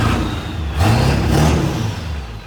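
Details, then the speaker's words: 1997 Ford Powerstroke diesel truck, quick rev: rises and falls cleanly with a smooth turbo whoosh, no screech or grinding; normal turbo spool. "Turbo sounds good. >> Yep, turbo's good."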